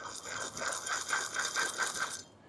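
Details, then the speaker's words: Worn wheel bearing: dry metallic rattle pulsing about four times a second as the hub turns, increasing with speed. "That's a bad wheel bearing."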